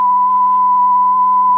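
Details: Audiosonic boombox cassette deck after repairing its broken generic mech with parts from another unit and turning the speed pot counterclockwise to fix slow running with wow: a clean, steady test tone holds pitch without wavering; tape speed now correct.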